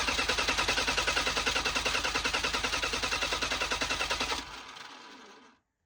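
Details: Old Bobcat 743B diesel skid steer from auction: starter cranks at steady rapid chug about four seconds without catching; glow plug relay clicks but owner suspects glow plugs not working.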